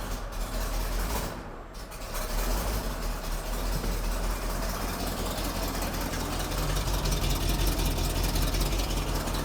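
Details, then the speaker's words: Gas 1993 Ford F700 dump truck, ran-when-parked, first start with fluid poured into the cylinders: big V8 idling unevenly with a lumpy, stumbling beat, owner suspects it's missing; rough idle, cause unconfirmed. "sounds like it's missing I wouldn't be surprised"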